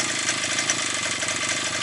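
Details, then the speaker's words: Likely 52cc petrol brush cutter that started then stalled, probably after sitting over winter. After cleaning, before the air filter is refitted, the two-stroke holds a steady, buzzy idle with no surging or dying. "прекрасно диться як гарно тримає на мали"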